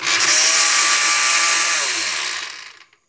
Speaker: pues voy a mostrar que cuando nuestra licuadora suena de esa manera es porque está fallando la mariposa si usted puede observar pues lo que está flojo pues no va a poder conectar con el de acá